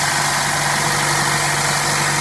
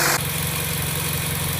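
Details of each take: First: Petrol engine at 100,618 miles idling during PCV valve and valve cover replacement; steady idle with a constant airy hiss over the low engine hum, a vacuum leak hiss. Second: 2012 Chevrolet Sonic, 100,618 miles, right after replacing a leaking valve cover and PCV assembly: smooth, quiet, even idle with a steady low hum and no ticks, hiss or stumble.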